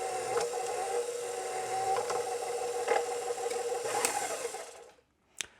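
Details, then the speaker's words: KitchenAid Professional 550 HD stand mixer quit mid-dough: the motor hums while the drive catches, releases and grinds in gritty bursts about once a second; the metal worm follower drive gear is suspected stripped. "Suspect the drive gear has been stripped out on it. Very common problem with these things, unfortunately."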